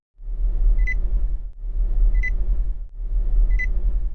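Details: Nissan warning chime: short sharp high beep repeating about every 1.4 seconds over a low rumble, older-style tone peaking at 2000 Hz with harmonics at 4000 and 6000 Hz; warning sound working normally.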